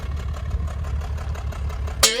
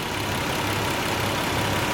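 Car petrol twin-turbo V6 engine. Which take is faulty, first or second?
first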